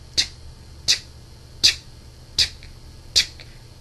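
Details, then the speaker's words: PlayStation 3 Blu-ray drive failing to read an inserted disc: sharp dry clicks about one every three-quarters of a second; suspected worn Blu-ray laser, not confirmed. "You'll hear that because the Blu-ray, the system is trying to read it with its Blu-ray laser, I guess, but it just doesn't. It's not working."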